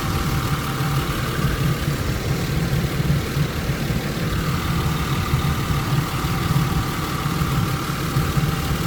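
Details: 1999 Isuzu VehiCROSS after repair of knocking noise caused by loose timing belt 1-2 teeth off and collapsed tensioner; belt, idler, tensioner, pulley bearing, water pump and coolant replaced: smooth even low idle, steady hum, no knocking or ticking.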